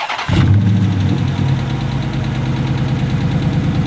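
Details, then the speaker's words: Used engine at idle after start: fast steady clacking over an uneven beat, louder at the front than the back; at minimum hydraulic lifter problems, with a misfire. "Now they make a lot of noise, but you can hear that clacking. That's not normal. It sounds good at the back, but not the front."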